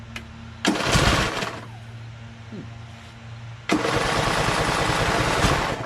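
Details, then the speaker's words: Craftsman LT1000 hydrostatic lawn tractor, second rebuilt replacement engine, new EverStart U1-R 230CCA battery, gas and choke on; two cranking bursts, steady churning with no firing, seems to want to start; cranking but not starting. "it almost seems like it wants to start those kind of sort sword"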